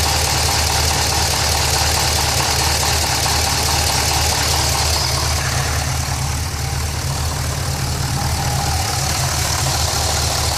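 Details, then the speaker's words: Pontiac GTO V8 at idle: steady rumble with a quick, faint rapid tapping underneath, roughly three a second, coming from the bottom of the engine toward the mid pipe; lower-end knock, cause not yet found. "This is the noise I was talking about. It's coming from the bottom part of the engine towards the mid pipe. The knock."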